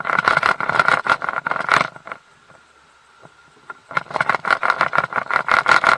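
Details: Mercury 150 HP outboard running in gear with irregular rattling knocks in clustered bursts over the motor, a brief lull, then more: prop chatter from a loose, under-torqued propeller. The lower-unit fluid was drained, and the noise is not from the shaft.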